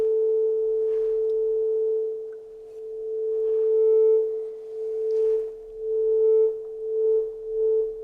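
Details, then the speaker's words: Channel two of a 30-year-old Soundtracs Jade 32 analog console: steady test tone swells and fades smoothly as the gain pot turns, no crackle; pot clean, though levels differ and need calibration. "and there's no crackle in the sound but if we have a look at these two M over here now you can see it both line are at 12:00"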